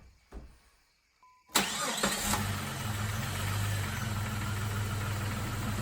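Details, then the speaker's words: Jeep with two-speed radiator fan after cleaned battery terminals: brief crank, catches to steady idle with faint fan whoosh underneath, fan running on low; normal. "all right now I can hear the fan running but because of the relay that's in here I can barely hear it running it's a two-speed fan"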